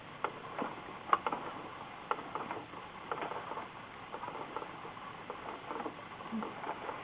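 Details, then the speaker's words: Singer 6412 Millennium Series sewing machine after fixing a skipping/grinding fault on the right side, turned by hand. Light, even needle up-down ticks, continuous, with no grinding or skipping. "And also note like when I'm doing this with my hand, I don't feel any like skip. It's it's all continuous."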